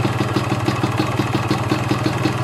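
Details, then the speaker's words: Yamaha RX King two-stroke carburettor, air screw set to two turns out (dry setting): quick even idle with light ringing rattle and steady pulse, no misses; rpm rises slightly with more air. "dari suaranya udah kelihatan ya sedikit agak meninggi putaran mesinnya atau rpm nya"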